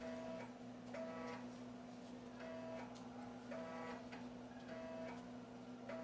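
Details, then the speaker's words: 1990s DOS PC floppy drive reading disks while ARJ decompresses files: irregular soft buzzing steps about once a second as the head moves back and forth over a steady hum; characteristic sound, not an error; normal floppy seeking. "Quando o disco dá uma esse barulhinho dá impressão, até que vai dar erro de leitura, mas é um erro, é um som característico do leitor de sketch. Quem usou aí sabe disso. Ele faz o movimento de um carrinho ali para pra frente, para trás."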